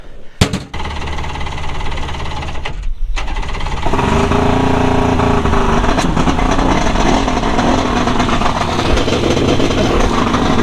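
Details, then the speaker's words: Two-stroke premix jon boat outboard sitting three years, carburetors rebuilt, after flooding and fixing a loose battery connection: catches about four seconds in and settles into steady buzzing run; normal running after restart, though not yet at full former speed. "shut it down that feels good to have a good running boat"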